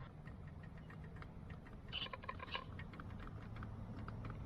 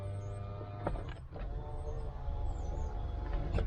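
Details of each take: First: BMW E30 (early model) window motor with switch held: light, uneven clicking about twice a second under a faint low hum while the window won't move; switch swapped and ruled out, motor suspected of being gummed up and not spinning. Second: BMW E30 with ignition on: smooth, even window motor whir with a steady tone as the glass travels, no binding or strain; the driver's side power window operating normally.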